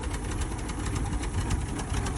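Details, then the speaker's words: 1985 Chevrolet K20 4x4, 350 V8, 3-speed automatic, revived after sitting 10+ years with no tune-up yet: low, uneven chugging idle with irregular thumps; owner suspects bad plugs or a slightly rich carburetor, unconfirmed. "Um, she's starting to chug a little bit now. I don't know if maybe some of the plugs are bad. I mean, I haven't even begun to throw a tuneup in this thing."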